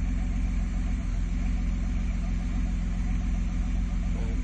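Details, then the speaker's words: Nissan Skyline with the exhaust valve open and both pipes running: a steady deep rumble with a booming low note and even firing, a bit deeper than with one pipe; normal revving exhaust. "Sounds a wee bit deeper. It's difficult to see if difficult to know if the microphones will pick it up."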